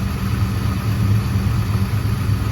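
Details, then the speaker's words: 1971 Dodge Demon 340 V8 at idle after valvetrain repair, started again after holding 2,200 rpm for 10 seconds; smooth even low rumble, ticking noise gone, sounds like 8 happy cylinders. "Little stressful, but everything's fine. Yeah, sounds like 8 happy cylinders to me."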